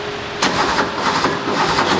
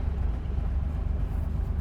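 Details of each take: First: 1977 Porsche 911S Targa barn find, not run in about 7 years, started after a timing correction: a few cranking beats, then it catches and settles into a steady flat-six idle with a faint hum, warming up but not yet at operating temperature. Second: Barn-find Porsche 911 on its first drive: a deep, uneven lugging rumble as the clutch bites and the car rolls; the engine is trying to stall.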